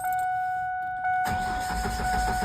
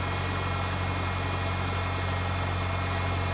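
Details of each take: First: 1999 Ford Ranger 2.5 L four-cylinder, fuel pump relay pulled to bleed fuel rail pressure before a fuel rail swap: warning chime, then steady cranking for over a second without catching; no fuel, so it won't start. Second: 1999 Ford Ranger 2.5 L four-cylinder right after restart following the fuel rail and injector swap: steady low hum at idle with no misses or stumbles; engine idling normally.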